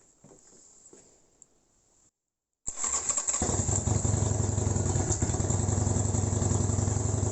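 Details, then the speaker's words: Project motorbike with new battery, oil light possibly faulty: quiet clicks, pause, then catches instantly into a steady thumping V-twin idle with no rattles; sounds healthy. "That started instantly. Okay. As if there was nothing even ever wrong with it."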